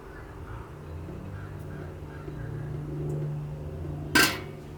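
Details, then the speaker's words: 1964 Ford 4000 diesel tractor injector with new nozzle on a vise-held pop tester; one short sharp hiss-crack as nozzle opens cleanly, popping about 2500 psi, slightly low so pressure to be raised. "There's our pop off, and I don't know if you can pick it on the camera, but you see a lot of diesel just floating around in here. Looks like I'm popping off about 25."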